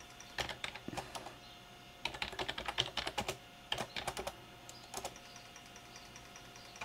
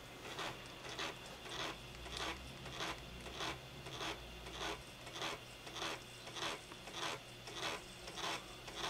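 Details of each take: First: IBM 5155 Portable PC 360K 5.25-inch floppy drive, previously failing to format, now formatting a good disk: bursts of sharp dry clicks as the head steps across tracks with short gaps; drive working normally. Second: IBM 5155 Portable PC 360K 5.25-inch floppy drive trying to format a bad disk: even rasping scrapes about a hundred a minute, repeating as the format retries; bad media, not the drive.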